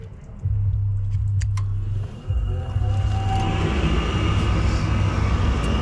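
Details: Gas furnace after cleaning a cobweb from the burner orifice that blocked flame crossover: clicks then steady even low roar as burners light and blow out dust; normal ignition, fix successful.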